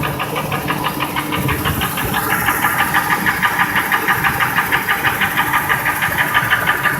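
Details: 2002 Ford F-150 5.4L V8 2V (no cam phasers) at idle: a sharp, regular knock about three per second, unchanged when each injector or coil is unplugged, drowned out above 1200 rpm; truck otherwise runs fine. Internal engine knock.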